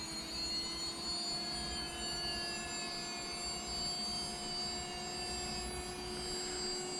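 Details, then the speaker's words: LOSI ProMoto MX RC motorcycle on a full battery, steering centered: smooth, steady high-pitched whine with faint gliding tones as the flywheel gyro spins up to near full speed; normal operation. "we're gonna go ahead and turn on the flywheel you can hear it spinning up we're going to make sure this turns opposite we're going to Center our steering and it's locked a lock really hard you can hear the Gyros almost at Full Tilt"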